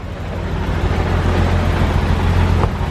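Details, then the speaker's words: BMW E34 M5, S38 inline-six with mechanical lifters, 335,000 miles, junkyard car just started: settles into a smooth, steady run with no ticking or valve clatter; sounds like valve adjustments have been done, healthy for its mileage. "wow I'll be honest this car actually runs kind of decent it sounds good this does not sound like a 335,000 mi engine I thought this thing would be clattering"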